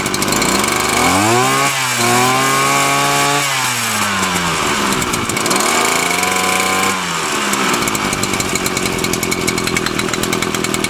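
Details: Titan TTBCP33 33cc split straight-shaft two-stroke brushcutter on alkylate fuel: crisp note rising cleanly on throttle and dropping back twice without stumbling or surging; engine healthy.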